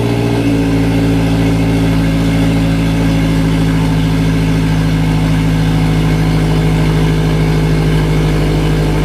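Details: Engine with an EWG GTX3071R turbo setup, after rough idle for about 15 seconds: deep, steady idle with an even beat, no stumbles or dips; settled into a smooth idle.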